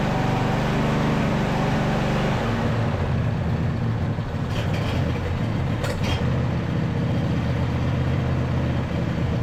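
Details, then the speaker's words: Neglected John Deere E180 riding mower running rough, still spitting and sputtering after some improvement. Owner suspects old gas and plans fresh fuel and a spark plug check; carburetor cleaning may not be needed. "well it is running a little bit better but you guys can hear it's still spitting and sputtering I don't know how old the gas is in here"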